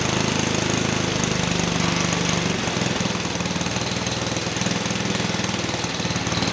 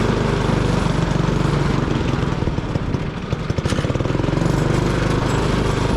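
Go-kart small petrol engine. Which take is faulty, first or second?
second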